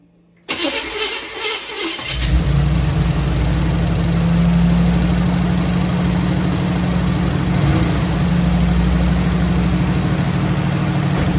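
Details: Squarebody Chevy C20 V8 with flat-tappet lifters, cold start after rocker arms found half a turn off and readjusted, metal seen in oil: catches after short crank, loud fast top-end ticking idle; collapsed hydraulic lifters, replacement planned.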